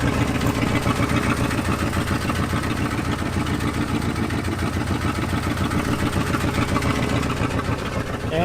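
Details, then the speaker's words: 1974 Ford F-250 Highboy V8, running lean, idling with low rumble and continuous hiss when foot comes off the brake pedal: brake booster vacuum leak. "you can hear it hissing so we got a master cylinder I mean a booster"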